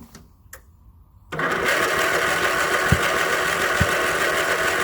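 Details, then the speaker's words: 1981 Westwood Gazelle W11 ride-on mower out of winter storage, tired low-compression engine with suspected crankcase blow-by, on booster pack: steady fast cranking with weak firing pops but never catches; spark plug quite fouled, cleaned afterwards. "you can hear it wanting to go with the spark plug out you can see it's quite fouled"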